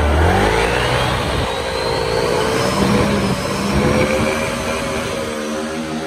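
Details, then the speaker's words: Honda SH (Vietnamese-built) scooter, previously weak clutch and judder on takeoff. After rebuilding the clutch and bell, air filter, steering stem and the leaking fork, it revs up smoothly with a clean rising tone: light clutch, no judder or rattle. "nồi Rất là nhẹ luôn nồi im không có xào không có Húng gì"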